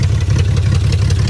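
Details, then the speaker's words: BMW 325xi E46 all-wheel drive, $200 auction car: loud, deep exhaust pulsing unevenly at idle with a lumpy, stumbling beat and raw fuel smell; engine running rough, cause unclear. "Hey man, it runs though. It runs. It does. It may not be running very well, but it runs."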